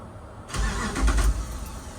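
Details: 1988 Dodge D150 with swapped 2006 Jeep Commander 5.7 Hemi: brief cranking, then engine catches and settles into deep steady rumble; clean, healthy start.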